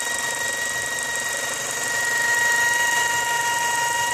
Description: Mazda 6 2004 wining noise please help.